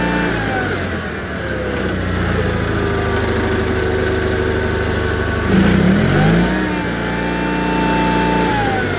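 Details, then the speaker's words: John Deere 318 garden tractor, Onan B43G twin, previously rough running, after OEM points and condenser, plugs, wires, filters, oil and timing: smooth even idle, clean rev pickup and settle without stumbling; running good. "So we've got this one running good."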